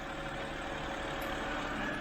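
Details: 2007 BMW 328i E90 after new electric water pump and thermostat, hot at about 196 degrees with no overheating: short, quiet, smooth idle with a soft even hum, no knocks or squeals; engine runs fine.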